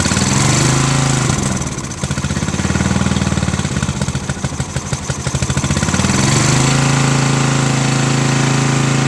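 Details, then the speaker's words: Sears Craftsman riding mower with spare rebuilt carburetor replacing gunked original; small single-cylinder surges and chugs, then steady hum, only runs on full choke; owner thinks it needs another carburetor. "So this one, the only way it runs is if the carburetor is on the choke the whole time."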